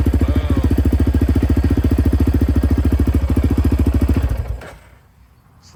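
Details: Yamaha Raptor 700R after fixing high-voltage spikes from overcharging: single-cylinder thumping at a steady, even beat of about three and a half per second, then shut off. It idles smoothly with no misfire.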